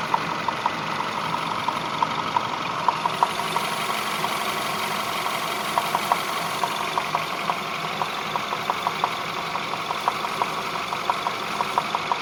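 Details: Peugeot 508 1.6 THP engine at idle: steady idle with sharp light ticking knocks, about three per second, slightly uneven; knock from inside the engine, cause not yet known.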